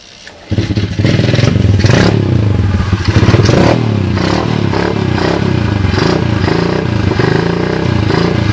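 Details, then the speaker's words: SDG 107/110cc single-cylinder pit bike, engine with damaged 3rd and 4th gears and locked kick starter, before swap to a 125cc Lifan: fires up and runs with a steady, even thump through light revving, no knocks or grinding; normal running. "as you guys can see it's dark cheesy as you guys can hear it sounds pretty good right"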